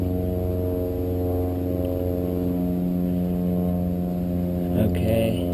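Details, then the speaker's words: Steady low droning hum with several layered tones on a Buell with a no-start problem, heard during a test drive. The battery was low; the source of the hum is not identified. "okay here we go it's a test drive okay it's that weird humming noise it's coming from this i don't know if it used to do that and i just never realized it"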